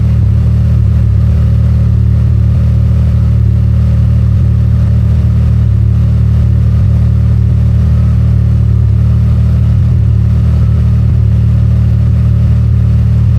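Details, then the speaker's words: Can-Am Maverick R with Evolution Powersports flex fuel system, running while E85 is added to tank of 91 octane (ethanol reading rising from 15% toward 80%): deep, steady drone at even pitch, no stumble, sputter or misfire; runs smoothly. "This car was running smooth the whole time as the ethanol level increased."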